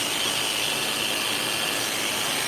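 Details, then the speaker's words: Hair clipper running with play in the blade socket, before adjustment: high, steady buzzing whine with a raspy edge; the loose blade socket makes it noisy, and squeezing the socket to reduce play should quieten it. "Now I'm going to adjust that socket. Watch the play. It's got a little play in it. So you want to adjust that so it's not so noisy."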